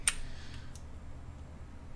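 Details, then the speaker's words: KastKing Valiant Eagle baitcasting reel: one crisp, firm snap as the side plate closes, then near silence; nice positive click on open and close, the side plate latches cleanly. "nice positive click on the open and close"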